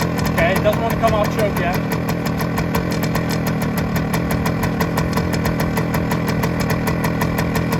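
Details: 1971 Suzuki TS185 two-stroke, first start after years sitting, smoky, still on choke and won't hold idle: sharp rapid puffing ticks over the rough engine following each firing pulse; exhaust leak.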